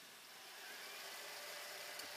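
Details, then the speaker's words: Toshiba AH-350 Betamax VCR (Beta II/III) rewinding after a belt and a roller were replaced: a smooth, even whirring hiss that builds slightly and holds steady with no slipping or stutter. Normal rewind. "so anyway here we are we're fast forwarding into Oblivion here so turn that off and Rewind it"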